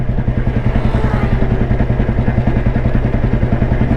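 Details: 1993 Royal Enfield Bullet with crank weight, riding in top gear at about 25 km/h: even single-cylinder thump, about three and a half beats a second, pulling cleanly with no strain; engine sounds healthy.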